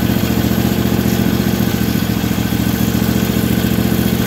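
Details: Briggs & Stratton overhead-valve V-twin on a 450-hour tractor, idling with a thumping beat of about 3.5 firings per second that is uneven and lopsided. One cylinder runs weak, oil is leaking and exhaust is escaping: a leaking head gasket.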